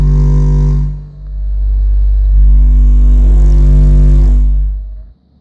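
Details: AA Mayhem 18-inch subwoofer wired in series at 4 ohms, playing low test tones around 49 Hz and 30-33 Hz: rough, rattly buzz riding on the tones and stopping when they cut; the sub is distorting somewhere.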